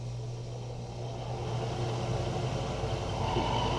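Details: Englander 25-PFS pellet stove after cleaning and combustion blower replacement, blower fans turned up at lowest heat range: strong, steady rush of air over an even low motor hum, no rattle or scrape; blowers running healthy.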